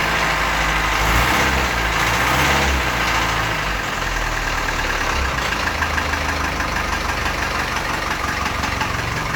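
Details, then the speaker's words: Land Rover 2.25 diesel cold idle after sitting a month, out of gear: steady even clatter about three beats a second, no knocks or misses, idle slightly low; not smoking, healthy. "good idol's gone down a little bit low just not it up a bit on the um the hand throttle"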